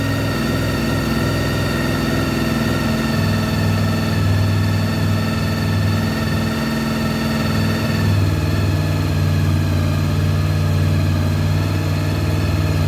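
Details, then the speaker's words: 1993 Honda VFR750F, carbs cleaned, first start after sitting over a year: smooth, steady idle with an even beat and no misses or knocks, run to check for leaks and that it starts and runs; normal idle. "basically i'm just doing that to make sure that there's no leaks and that it is starting and running"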